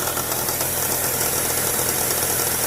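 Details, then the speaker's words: 2007 Chevy Trailblazer, engine running: dense rapid metallic clattering and jangling from the serpentine belt tensioner pulley, visibly bouncing and jerking; owner suspects weakened tensioner spring, tensioner replaced. "I'm not sure if you can hear it but I can anyways that right there is your catching there pulley and it's just making a clanking sound right now"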